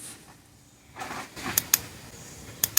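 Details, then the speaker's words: Honda automatic transmission with codes P0741/P0700, shift solenoid bench-tested by applying 12 V to pin 2 with pin 1 grounded: two sharp clicks, then two more, so the solenoid works normally and the transmission itself is suspected. "All right, this solenoid is in excellent condition. It's clicking. It's making an operation sound. So, this solenoid is not a problem either."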